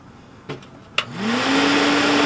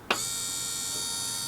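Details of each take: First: RV stove hood vent fan with a replacement motor spins up to a steady loud whir and droning hum, then winds down; the motor does not sit properly, quieter than before but still too loud, another fan ordered. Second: RV stove hood vent fan after a new motor was fitted, not seated quite right: steady, even whir with a thin high whine and no rattles, much quieter than before though still louder than wanted; fan running normally.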